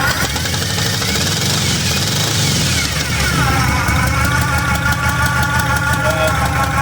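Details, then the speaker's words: 1966 Pontiac LeMans, first start after about a month and a half sitting, dirty carburetor: loud raspy idle with sharp ticking puff on each firing pulse as the header gasket keeps blowing out the side; exhaust header leak. "My header gasket keeps blowing out of the side. I don't know what's going on, but that's part of the issues I need to deal with. So, as you can hear, that thing's real loud."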